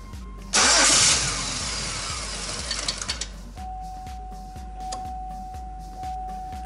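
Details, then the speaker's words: 2003 Chevy Impala: starter cranks evenly but the engine never fires. Fuel pump current spiked near 14 A on a 15 A fuse, and pump speed fell from 4,219 to 2,967 rpm after running. Confirmed failing fuel pump, crank-no-start. "cranking it continued okay nope okay that's it man is the fuel pump definitely fuel pump"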